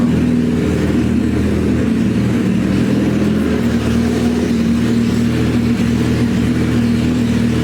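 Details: Suzuki Hayabusa GSX1300R after a wreck, two new main injectors fitted, running with no exhaust; loud raw even bark, steady firing, no misses or knocks, hitting on all cylinders; normal idle and revving.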